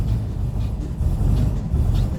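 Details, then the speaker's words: Cold start, in neutral after immobilizer off and fuel pump primed: deep uneven low rumble held alive by light throttle blips, catches and keeps running; without throttle play it might stall. "And as you can see, I'm just playing with the throttle. So you'll find that if you don't play with the throttle a little bit, it might stall on you and you might have to go again."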